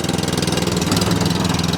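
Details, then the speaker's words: Kawasaki-engined cylinder mower, warming up with drive engaged after a first-pull start on choke: quick, even single-cylinder pulsing over a steady drive whirr, no misses; normal running. "Lovely. Once it's warmed up, it starts first time every time. Idles absolutely beautifully."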